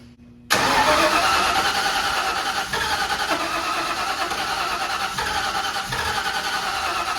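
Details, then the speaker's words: 1991 Mustang 5.0 LX with Vortech V1 supercharger, F-303 cam and GT-40 intake, first fire with spark confirmed: starts and idles lumpily with uneven stumbles, running on about five cylinders; cause unconfirmed. "technically that is not how it's supposed to sound look like yeah running on about 5"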